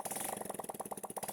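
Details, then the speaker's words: Honda Supra motorcycle whose RPM wouldn't rise, started after engine repair without the exhaust fitted: crisp, even open-pipe pulses with no misses or knocks, no longer smoking, oil reaching the head. Normal running. "kita hidupkan tanpa knalpot untuk melihat hasil polteran ini bagus apa enggak dan ternyata memang cukup lumayan dia tidak ngebul lagi."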